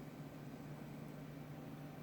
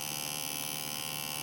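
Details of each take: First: Small cooling fan in a Retroflag MegaPi case on a Raspberry Pi, running without the heat spreader: low, steady, faint hum with a little noise but no rubbing; the fan was vibrating in the case and was rotated to secure it. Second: Retroflag MegaPi case small cooling fan, heard close up: steady high-pitched electric buzz then cutoff; fan vibrating in its mount, reduced after rotating the fan to sit more securely, slight noise remains.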